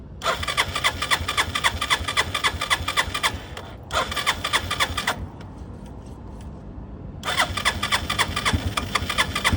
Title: Hard start electric start of the bike